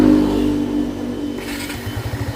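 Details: 2024 Barako 2 motorcycle single, formerly hard-starting, after valve clearance adjustment and switch replacement: starter whirrs briefly, fires and settles into even, steady idle thump, starting cleanly without choke or throttle.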